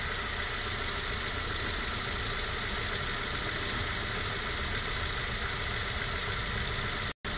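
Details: 1998 Honda CR-V at cold idle, only in cold weather (worse at -5C or colder), absent when warm and in warmer months: thin steady high-pitched squeal over hissy background from accessory drive; owner suspects condenser/AC pump pulley, unconfirmed.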